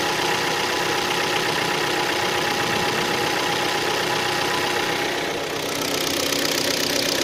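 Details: Hyundai ix35 G4KD engine, 66,000 km, cold idle after 12 hours standing outdoors: a steady, dull knock two to three times a second under the engine hum; piston knock from scoring in cylinders 2, 3 and 4.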